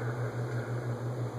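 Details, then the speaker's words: Lasko ceiling fan made for Sears, running on high: steady low 60-cycle electrical hum that swells and fades slowly. Vibration-isolating material didn't eliminate it; owner suspects resonance. "I don't know if you can hear the 60 cycle hum I can but there's a lot of other no background noise in the video so I don't know if it's being picked up and high hum's louder now than everything I can do eliminate"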